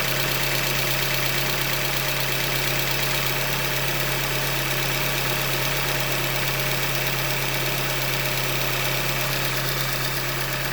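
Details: 2015 Hyundai Elantra Limited, 91,000 km, idling: light, regular tapping under heavy hiss at steady idle, engine knock from short block failure, a Hyundai manufacturing defect.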